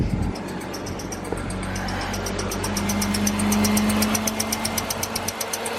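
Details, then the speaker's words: BMW six-cylinder auction purchase, jump-started from a four-cylinder car, check engine light on, just given an oil change: steady drone with uneven sharp pulses about four per second; misfiring, owner suspects at least one cylinder lacks full compression. "the problem got the oil change done you guys heard it it does not sound good it's definitely misfiring and I'm sure least one cylinder doesn't have full compression"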